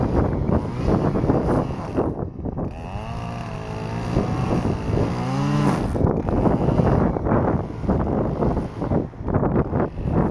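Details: Stihl FS-250R two-stroke trimmer after carburetor rebuild kit (hardened diaphragm from long storage with old fuel), cutting wet grass: high buzz bogs briefly while cutting, then picks back up and revs out cleanly; normal running under load.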